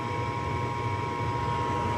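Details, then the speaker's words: Lennox furnace on an R22 system, checked on a loud-noise call: control board shows a fast simultaneous blink, meaning heating demand initiated at the thermostat. Steady, even hum and low rumble with no knocks or rattles; heating normally. "nighter simultaneous fast normal operation heating demand initiated at thermostat"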